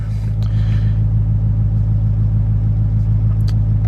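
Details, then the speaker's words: 2020 Duramax diesel, cold and snowy, after unplugging its EGT probes, which were blamed for weird idling and smoking: steady, even clatter with a firm low rumble and no hunting or misses. High idle now kicks up, which it didn't before; normal high idle. "All right, that's nice. It actually kicked up on the high idle now. With those EGT probes, it wasn't doing that."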